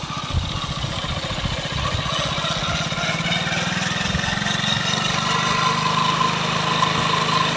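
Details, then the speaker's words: Hero Glamour BS4 single-cylinder bike after fixing a rattle on pulling clutch at full speed in 4th, caused by clutch plate and pressure plate: running steadily in gear, speed rising slightly, slight engine noise but no clatter; healthy. "Engine की थोड़ा noise sound आता है, पर इसकी engine की जो sound है बिल्कुल मस्त है।"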